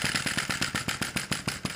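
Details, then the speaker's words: Sai Hu V1-45 flame-licker vacuum model engine on denatured alcohol, during start-up: uneven quick puffs about six per second, catching but not yet running steadily, still seeking the flame sweet spot. "very close to running keep trying to find the sweet spot for that fire"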